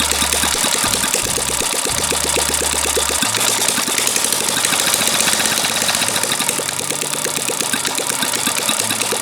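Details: Small single-cylinder gasoline water-pump engine, long unused and hard to start, finally running; steady fast putter, crisp even firing; normal idle.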